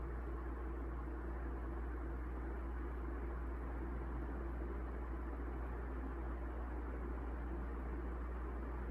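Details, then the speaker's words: 1981 Evergo 36" industrial ceiling fan, model 3E-6, heavy cast-iron motor, aluminum blades, on low speed via variable control: slight motor buzz on startup that fades, then smooth, constant low hum and steady air rush. Well balanced, normal running. "even on low you can really tell that this is a industrial intended fan because it's moving a lot of air far more than any residential grade ceiling fan of this size that's for sure"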